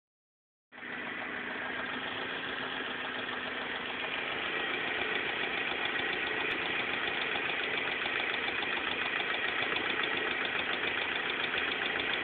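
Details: BMW M42 engine at idle: fast regular ticking-clatter about three and a half per second over the engine; source unclear.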